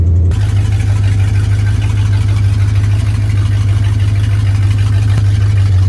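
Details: 1968 Ford Torino V8 after 20 years sitting in a barn, idling before its first test drive in extreme heat: steady, even deep rumble about three beats a second but slightly fast; idle set high, carburetor adjustment needed.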